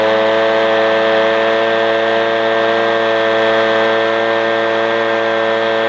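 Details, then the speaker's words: Echo PB-250LN two-stroke leaf blower after opening the hidden high-speed carburetor screw under a brass plug below the primer bulb: steady, high, even buzz at full throttle; runs faster and seems to blow a little better than before, normal high-speed running. "I opened up that high speed adjustment screw the engine started running faster you saw me blowing leaves seem to be a little bit better than what we had originally"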